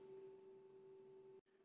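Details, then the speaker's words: MP9486A switching regulator test board with reduced inductor and added input capacitor: under load a steady mid-high whistle sounds and output voltage drops very low; cause still being investigated. "ho aggiunto un condensatore in ingresso ma la situazione non migliora e collegando un carico si sente chiaramente il fischio e la tensione scende a livelli davvero molto bassi"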